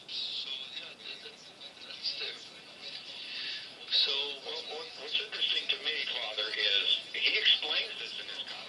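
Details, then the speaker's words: 1922 Westinghouse Aeriola Sr one-tube radio running a substitute 5676 in place of the WD-11 tube, heard through a small added amplifier: thin tinny audio with several stations bleeding together over hiss, poor selectivity typical of early radios. "not very differentiating you can hear a number of different uh radio stations at the same time which is kind of what you know the problem with these early radio state radios were"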